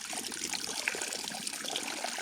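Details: Compression-fitting water pipe in a jungle kitchen, pipe not cut straight or pushed in to the seal: steady light trickle of running water with no machine noise; leak at a poorly seated pipe joint.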